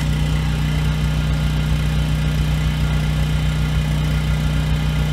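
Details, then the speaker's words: Husky generator with Subaru EX30 engine, 7 years old, after carburetor rebuild, running under 1500 W load: steady even hum with no hunting; surges at no load, surge almost gone above about 900 W. "Runs smooth under load. Under about a 900 watt load, the surge almost goes away."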